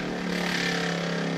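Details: Water pump on a sailboat's freshwater system, with all faucets and showers off: steady buzzing motor hum that never cycles off or changes pitch; it runs nonstop because a leak in the piping keeps the lines from pressurizing.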